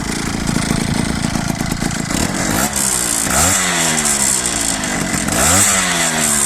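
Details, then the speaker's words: Peugeot Ciao moped with Polini 65cc kit, stationary with air box and filter fitted: harsh two-stroke buzz blipping up and falling back, no intake scraping or clacking that occurs without the filter; normal intake noise. "Euh avec le filtre à air. Ces grattements là sont supprimés. C'est-à-dire que tu n'as plus de de bruit grave à l'admission."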